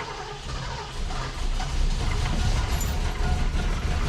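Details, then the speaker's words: 1976 Mercury Marquis 460 big-block V8 started to free a stuck carburetor float: deep uneven low rumble builds and steadies as flooded engine clears, then idles pretty nicely. "We had her flooded to beat the band. Woo! She's idling pretty nice."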